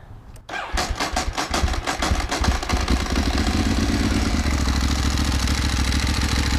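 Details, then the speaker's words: Ducati 1198S after fitting AELLA anti-rotation clutch slave cylinder and push rod to fix an engine oil leak, fairings back on: starter cranks briefly, twin catches, lopes unevenly a few seconds then settles to steady even idle; normal start. "It looks like things are working just fine. Let's start it up and make sure that is the case with the engine running."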